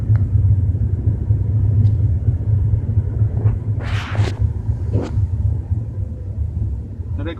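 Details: BMW 320i with a low, steady droning rumble at 30–40 km/h, no sharp knocks; source unclear, possibly driveline or exhaust.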